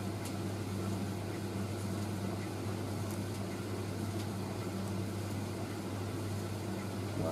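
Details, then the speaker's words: Indesit IS31V 3kg compact reversing tumble dryer in final cooldown after first load; constant low motor hum with steady drum and fan noise, even tumble, no scraping or thumping; normal cooldown running. "i bet that'll all be dry in that time so the machine has reached the final cooldown now"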